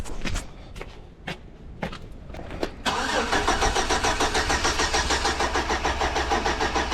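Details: 2006 Chevy Silverado with distributor, cap, plugs and wires all replaced, still no spark and no control signal at the coil: a few clicks, then even cranking about three pulses a second with no firing.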